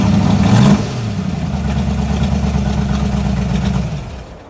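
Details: 1986 Mustang GT 5.0, B303 cam, speed-density stock EEC, ported E7 heads, 19lb injectors: revs up briefly then settles into an uneven, lumpy idle that sags; rough running, owner blames the cam and speed density mismatch.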